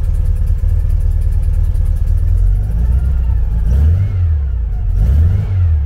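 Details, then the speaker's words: 1974 VW Beetle flat-four with Weber IDF carbs, cold, foot slightly on the throttle because it won't idle. It runs lumpy and uneven with one cylinder dead, misfiring because a blocked idle jet is still starving it after cleaning. "right moment of truth still blocked here it's down on one cylinder there anyway"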